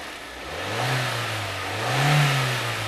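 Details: 2001.5 VW Passat 1.8T automatic, 98,500 miles: rattly chatter rising and falling with two quick revs, caused by a failing cam chain tensioner; chain and tensioner were replaced and the car now runs fine.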